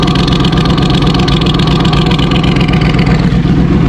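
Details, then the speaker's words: 2014 Yamaha R1 after oil-leak work and oil level correction, started cold: loud, even exhaust note with steady quick beat, no knocks or rattles; normal idle, though idle hunts back and forth, owner suspects valve adjustment, and it usually dies when cold. "just sounds so good. But anyways, sounds good. I'm surprised it didn't die. Usually dies when it's cold, it just dies down."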